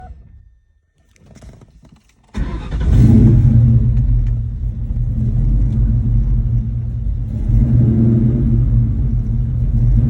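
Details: 2002 Mustang GT V8 fires up and settles into a low, lumpy idle with an uneven, loping pulse; rough idle, cause unknown.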